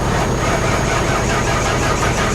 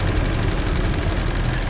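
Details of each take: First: 2021 Hyundai Venue flood car cranked on booster pack with water in the engine, feared locked up: labored slow cranking with heavy, uneven pulse and no catch as water in the cylinders drags the starter. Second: 2021 Hyundai Venue idling with the hood open: fast, even light ticking over a smooth idle, the normal direct-injection injector ticking of a healthy engine with no smoke or leaks.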